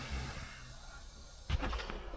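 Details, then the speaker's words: Escaping refrigerant from a WARM monoblock heat pump with a low-pressure error: a steady, sharp hiss from a pressurised pipe, foam bubbling over a small hole where the pipe is cracked; the crack is then soldered and retested with 13.9 bar nitrogen. "Good, now we know where it’s hissing. A beautiful bubble, and under the bubble is a lovely little hole."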